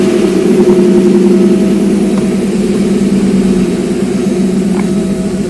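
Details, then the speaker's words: Porsche 928 idling after replacing the transmission input shaft bearing and installing a limited-slip diff, alternator belt off: steady even idle, clutch in and out, no more input bearing noise. "clutches out this is where it was making noise before clutch in watch out clutch in clutch out effectively no noise so I think we're good"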